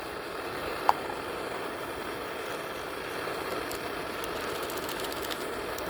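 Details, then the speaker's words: M-1942-MOD Preway camp stove, first run in decades after new graphite packing and rebuilt pump, clean lever up and knob fully cranked: soft, steady hissing roar, no sputtering or surging; burner running cleanly at full flame. "Look at that. Sounds good. Now this thing doesn't take very long to heat up. This thing gets hot."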